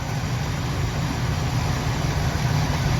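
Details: 1976 Oldsmobile Cutlass Salon, original V8 with about 54,000 miles and many gaskets replaced last winter, cold start after 24 hours: even, steady low rumble at slightly raised fast idle, no misses, ticks or knocks; runs like a kitten.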